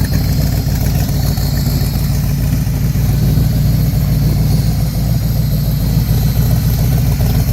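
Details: Factory Five MK4 V8 idling through side pipes after GP headers installed; deep steady burble with no ticking or puffing, exhaust leak eliminated.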